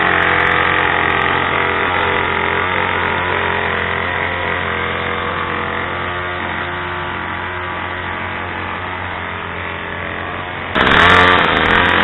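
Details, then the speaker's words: Craftsman/MTD 2014 25cc two-stroke curved-shaft trimmer running outside after a new Walbro carburetor 753-06190 and mounting gasket were fitted, original fuel lines kept; steady, even buzz without stumbling or surging, brief other noise at end; runs solid. "I didn't have to replace the lines on it may have to in the future but it runs solid now"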